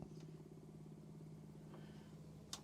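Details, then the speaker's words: 1996 VW T4 Autosleeper Trophy tank-pressurizing fresh water pump, switched on with no tap open: quiet steady low hum with fine rapid pulsing as it builds pressure; normal water pump running. "you can hear the pump running even though i'm not running any water because it's applying a bit of pressure"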